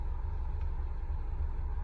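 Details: Honda repaired after an interstate accident, exhaust fixed so no more fumes inside the car: low, smooth, even idle rumble with no rasp or puffing from the exhaust after the first test drive; normal idle.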